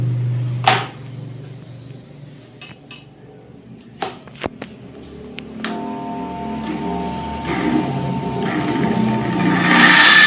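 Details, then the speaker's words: Coconut grater machine (works like a water pump motor), fan cover pried off and powered on: motor only hums and vibrates without turning; if it turns by hand, likely rust or a dragging shaft at the bearing. "Seandainya kita puter pakai tangan itu dia mau muter, berarti kemungkinan itu terjadi karatan atau terjadi yang namanya seret ya di asnya sini di bagian lahar."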